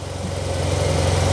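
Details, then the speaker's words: Yamaha TMAX scooter started right after replacing the fuel pump, having previously only cranked: it catches at once and settles into an even, steady idle with no misses. Runs well and does not die. "It starts right up. Runs really well. Doesn't die."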